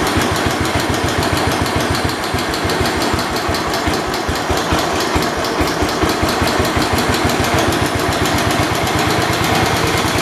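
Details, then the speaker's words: 1972 Homelite T10 tractor small single-cylinder engine, refuelled and only running on choke: uneven heavy irregular chugging, sounding loaded and rich; owner suspects too much fuel and tries easing off the choke, not confirmed. "i'm trying to get it to look like it's being choked or start blowing smoke that way i can see that now it's getting too much fuel if i let off the choke maybe it'll help relieve that problem"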